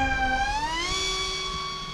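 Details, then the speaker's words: Flite Test Master Series A-10 twin electric RC jet in flight with Flite Test props: two steady motor whines rising together, one slightly off pitch; pilot suspects slipping prop or loosening prop nut, possibly damaged prop. "might just be a prop slipping because it sounds like one slightly different pitch than the other maybe a prop nuts coming loose maybe i should land it maybe i'm flying on one prop"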